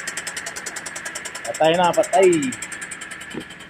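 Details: Jeep Compass 2.4L engine before a general overhaul: a quick, steady tapping about three per second over a quiet idle, partly covered by a voice; the engine knocks at idle.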